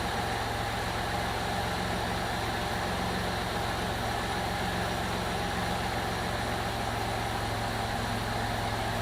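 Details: 2002 Jeep Liberty 3.7 engine just swapped in, first run after wet intake: steady, even idle with smooth low hum, no knocks or misses; engine runs fine despite lots of exhaust smoke, check engine light on (owner suspects hard start or coil pack).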